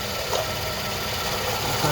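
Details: 2011 GMC Acadia 3.6L V6 idling: harsh steady grinding over the engine note, water pump seen shifting, tensioner pulley bearing also dry; water pump bearing grinding.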